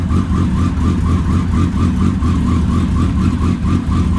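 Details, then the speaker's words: Kawasaki ZX10R after an engine install, just started on 2 gallons of fresh 93 octane on a recharged battery: holds a steady, even idle with a strong low beat and no knocks or rattles. Normal running. "Well, it's running. That's good news."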